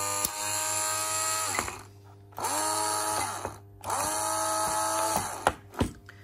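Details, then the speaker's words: Karcher K50 electric brush after battery rebuild with spot-welded cells (Sunkko 709AD): three short bursts of clean, steady motor whine, each winding down smoothly; motor runs normally. "So as you can see, everything is working just fine."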